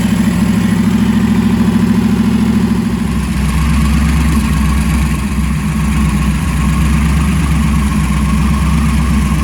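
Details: First fire-up of freshly swapped 335hp supercharged Ardun flathead V8 in 1932 Ford Roadster, magneto ignition: deep steady beat settling to lower even idle after about three seconds, no knocks or misses; normal running, aside from a leaking AN oil fitting.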